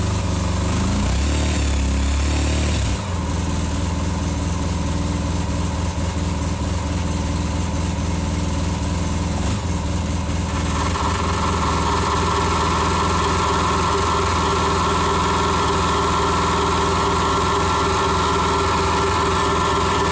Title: RZR Engine Knock